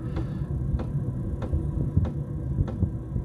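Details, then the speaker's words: Diesel heater in a Fox Box camper on lowest setting, about 57°F, cold night: low soft hum with a light regular fuel-pump tick about every 0.6 seconds; running quietly and normally. "you can hear now it's very very quiet it's taken over very quietly"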